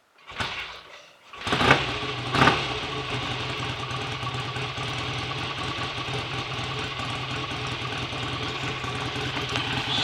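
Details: Freshly rebuilt BSA A65 Lightning twin with a replacement crank, restarted after a screw adjustment, ignition timing not yet checked, strong oil return: catches after a couple of tries, then a steady, even idle with no knocks or misfires; normal idle.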